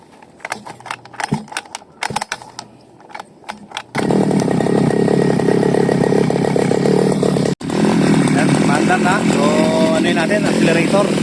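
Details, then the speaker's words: Seaman CG411 two-stroke grass cutter after replacing the worn carburetor needle and seat: catches and holds a strong, even buzz under throttle with no stumbling or cutting out; running normally. "yan yan lakas na ng ikot So okay na to"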